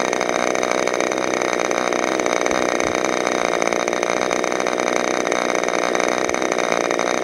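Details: Freshly overhauled modified K&B .61 glow engine from CF Lee on test run: high, steady buzzing scream at constant speed without misses or surging; running clean and healthy.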